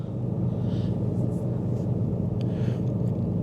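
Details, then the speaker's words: 2023 Ram 2500 Rebel Cummins diesel, cold morning start at 27 degrees: steady, even low rumble with no knocks or misses, high idle rising toward 1,000-1,200 rpm for cabin heating; normal cold-start high idle. "Yep, so cabin heating in progress. Press brake to reduce idle RPM. So let it sit for a little bit high idle, or well, I'll just go for a drive."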